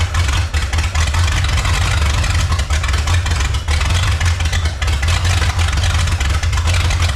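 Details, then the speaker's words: 1954 Chrysler New Yorker 331 Hemi V8, first run after 50+ years, fuel pressure slowed on an unregulated 5 psi pump: deep idle surging and stumbling, loudness rising and falling, not happy; carburetor pouring fuel while running. "Well, it runs, folks. Not real happy."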